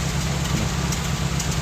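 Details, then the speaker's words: Toyota Corolla Twincam liftback gen 2, exhaust at idle: steady unbroken low burble with no pops or misses; stable healthy idle. "ada letupan atau kadang-kadang adat nggak ini stasionernya stabil"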